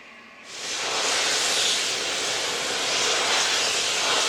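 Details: North Yorkshire Moors Railway steam locomotive Repton No 926 moving under its own steam after overhaul: loud steady hiss of escaping steam building and holding even, no knocks or irregular bangs; normal running.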